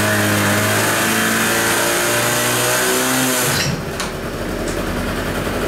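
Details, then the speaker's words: Kymco Vitality 50 2T scooter on a lift, weak pulling: two-stroke revs steadily, then sags and loses pitch with the brake held; the centrifugal clutch engages too early. "bo Słyszeliście co się dzieje jak ja hamulec nacisnę Zobaczcie Spróbuję wam pokazać na naciśnięcie hamulcu co się dzieje bez hamulca na hamulcu słyszycie to różnice w obrotach Moi drodzy co to może oznaczać"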